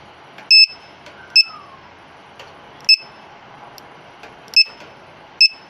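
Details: LiPo/Li-ion battery monitor low-voltage buzzer on a 2200 mAh LiPo: shrill beeps about once a second at uneven gaps; alarm tripping because cutoff set too high.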